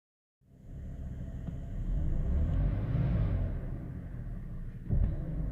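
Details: 2005 BMW 530i petrol engine at idle, before replacing the idle control valve: deep, uneven rumble pulsing about four times a second, a rough idle.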